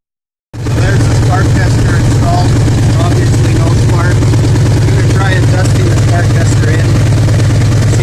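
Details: 2000 Ford F-150 5.4 V8 4x4 at 115,000 km, misfire complaint, check-engine light on but not flashing. Deep steady idle rumble with an uneven lope and a skipping beat, typical of one dead cylinder misfiring.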